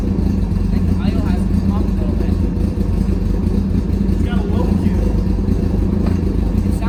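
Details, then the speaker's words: Carbureted engine's first start after carb cleaning, rebuild and new jets, idling: low, steady rumble with even beat, no knocks or misses, slightly deeper tone than before; smooth idle. "to me it sounds like a has a bit of a lower tone I'm not sure about just me or not same here it sounds almost like a little bit of a moment you can actually hear it firing back and forth"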